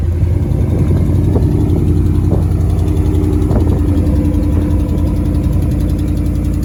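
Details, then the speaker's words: Dodge Ram R/T V8 idling just after fitting a Flowmaster FlowFX muffler: deep, steady exhaust note with a faint irregular puffing tick, an exhaust leak; headers to be replaced next. "[Music] oh look an exhaust leak headers are next when i do the cam"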